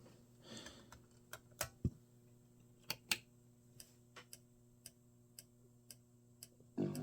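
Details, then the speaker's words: Original PlayStation model 1001 that reads discs poorly: a quiet room with sparse, irregular ticks and clicks as the drive keeps seeking and fails to read the disc. The cause is unconfirmed. "it just does not want to read"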